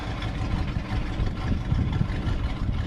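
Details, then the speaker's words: 1966 Ford F-250 with dual exhaust, still cold during warm-up, choke turned off: deep, uneven, lumpy idle that sags and stumbles, lugging down. "all right let's try turning the choke off see how happy he is at the moment that's kind of lugging down a little bit"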